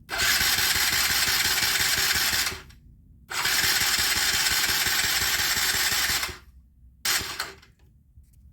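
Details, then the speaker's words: Mini ATV with Mikuni carburettor, choke set, battery recharged: two long starter cranks and a short third try, engine never catches; hard starting caused by a poorly set throttle needle clip position, also bogs on throttle. "my next project is a little four-wheeler that is hard to start and bogs down when the throttle's applied"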